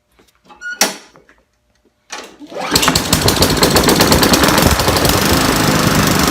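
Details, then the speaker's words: Trash-picked Craftsman push mower with Briggs & Stratton engine, after cleaning water (from tank) out of the carburetor float bowl and replacing an odd, off-center spark plug: a few pulls, then catches and settles into a steady, even run; normal running. "somebody threw away this lawnmower just because it had some water intrusion from the tank into the and that's why it wouldn't work"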